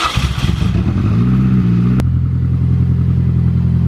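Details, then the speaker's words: Mini R53 on the first start after an engine replacement, exhaust cut open: it fires, revs briefly, then settles into a loud, even, steady idle with a raw open-exhaust bark; runs smoothly, normal idle. "We had to cut the exhaust because of some jank work, but it started-ish."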